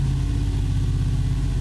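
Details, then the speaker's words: 2020 Ford F-350 Super Duty, 7.3L Godzilla gas V8, after spark plug replacement for a slight miss and hesitation: held at various rpm then back to idle, steady deep even rumble with no stumble, misfire or belt squeak. "and then letting it go back down to idle and listen for a stumble, and we don't have anything. So I think we fixed that too. Must have just been the spark plugs."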